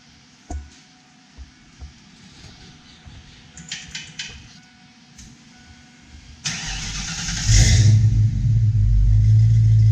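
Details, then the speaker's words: 1992 Mustang GT V8 after installing off-road X-pipe, Flowmaster mufflers remaining: cranks, catches, settles into deep even burble with clean rev blip; smoke is stickers burning off new pipes; sounds healthy. "Successful, heck yes. Super happy with how this sounds."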